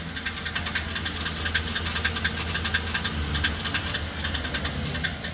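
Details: 2014 GMC Sierra V8 on a lift: sharp metallic ticking, about one to two a second, worse on acceleration and pulling uphill, caused by the starter drive gear missing its spring.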